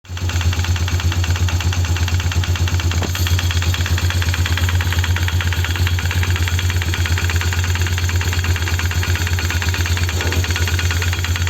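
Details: Polaris 330 Trail Boss ATV at idle with a light, fairly regular knock about three per second; unclear whether it comes from the CVT clutch area or the engine, and it disappears when throttle is applied.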